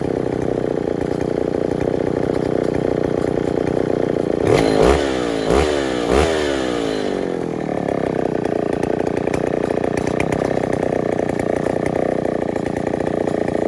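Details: Neotec NS8105 chainsaw, Stihl 070 clone, big two-stroke with 25-inch 404 bar: steady idle buzz then three sharp clean blips rising and falling back; crisp throttle response, healthy running.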